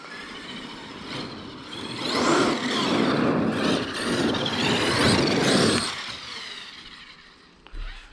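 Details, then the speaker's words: Traxxas X-MAXX 8S RC truck doing wheelies after replacing the spur assembly and rear bulkhead, pinion cover off: whine rises and falls smoothly with each burst, no clicks or grinding; gears mesh cleanly, though owner notes it always sounded good. "Guys, it sounds all good. To be honest with you, with all the problems I've been having with this, it's always sounded good."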